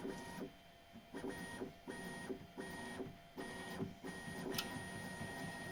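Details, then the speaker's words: Bambu Lab X1 Carbon 3D printer bed moves in short whirring bursts with steady stepper tones; the squeak, caused by the belt rubbing the edge of the tensioner roller, has nearly vanished after soap lubrication. "Ну вот практически скрип исчез. А проблемы в этом месте."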